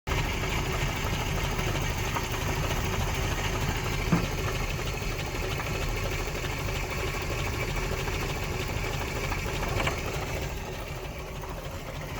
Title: Series 3 Land Rover Intermittent Misfire